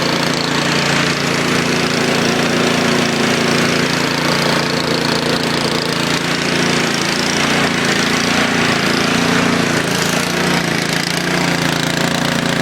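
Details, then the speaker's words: Craftsman YTS 3000 tractor cold start with choke after sitting about two weeks, battery untouched; started right up and settles into a steady, even small-engine putter with no misses or knocks, healthy. "let's start it up choke it start it off that started right up that's going to sit in foam what about two weeks think it hasn't been started in two weeks"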